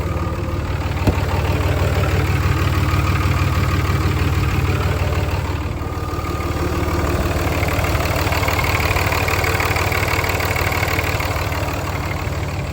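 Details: 5.9 Cummins diesel at idle on its first start after an oil and fuel filter change, run to check for fuel and oil leaks: even, steady clatter at about three beats a second with no misses or odd knocks; a healthy idle.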